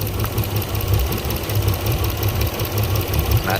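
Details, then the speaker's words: Port Yamaha outboard on a 385 Pursuit: rough, loping, shaking idle during the coil-pull test; the bottom cylinder is found dead. "all right there we go bottom cylinder on the port side"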